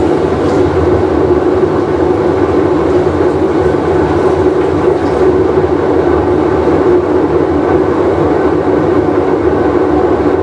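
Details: Whirlpool Cabrio washer with bad bearing, full wash cycle; loud continuous rumbling roar like a passing train during spin; worn drum bearing.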